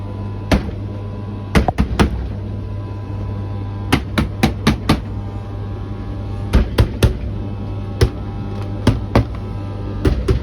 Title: BEKO tumble dryer making some strange noise lol